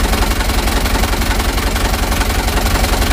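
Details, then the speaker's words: Mitsubishi Canter HDX diesel after Bosch injection pump calibration and plunger replacement, engine cold: heavy, uneven knocking pulse near three per second with a deep shaking rumble, worse when hot; rough idle from sticking pump plungers. "Nah setelah hidup mesinnya di sini kita melihat e getaran mesin ini mesin Masih dingin teman-teman ya belum panas"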